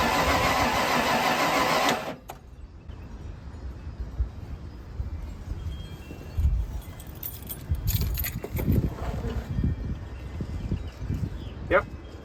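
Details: 1995 Ford Bronco that sat parked for years, fuel tank out and fuel pump burned up, cranked after battery hookup and fuel-pump cycling: starter whirs about two seconds without catching, then stops; cranks, won't start.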